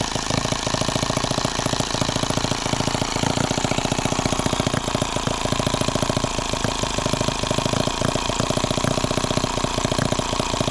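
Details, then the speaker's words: Microcosm H76 small twin engine on its first start, throttle cracked open: fast popping beat with uneven gaps and dropped firing pulses; the spark plug was found drowned, soaking wet with fuel. "well there's our spark plug and yeah it's just drowned in fuel I wish I had a better way to show you guys but it's just I mean how it's soaking wet"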